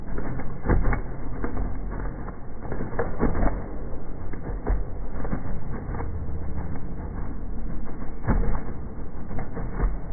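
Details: Ford Focus 2.0 petrol engine misfiring, shown in slow motion: uneven, stumbling note with irregular low thumps and dropouts breaking the rhythm; cause not yet found.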